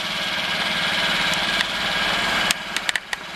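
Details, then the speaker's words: 2015 Honda Ruckus scooter, revived after sitting a couple of years: small single-cylinder engine ticking over evenly at a steady, quiet idle with a few handling clicks on top; normal idle. "That's a quiet scooter, isn't it? It runs. Listen how quiet that is."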